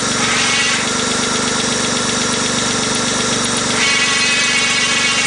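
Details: Engine idling in neutral with a busy, rattly whir on top that stays steady; a strange transmission noise, cause unknown.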